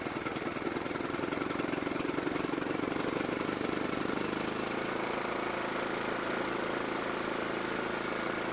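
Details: John Deere riding mower single-cylinder engine, carburetor primed, runs rough and uneven, about two to three beats a second, hunting as if starved, only running when partly choked; lean carburetor.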